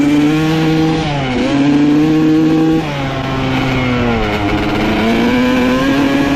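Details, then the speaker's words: 1995 Honda CR250 two-stroke dirt bike with the old flywheel refitted: revs sag and stumble each time the throttle opens, then recover slowly. The bog is traced to the faulty old flywheel; the owner guesses a magnet may be off. "I cannot believe that it was a flywheel all along that is absolutely insane"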